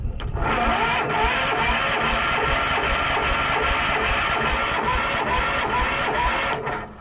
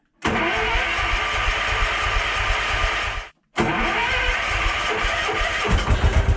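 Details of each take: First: Case 444, cranked on ether sprayed into the intake: fast steady cranking with occasional stronger pulses, catching but never running on its own; spark confirmed by a backfire. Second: Case 444 single cylinder, fed from a temporary jerry can because the fuel pump leaks badly: catches and runs steadily, cuts out briefly, then refires and keeps going with a rougher pulse at the end.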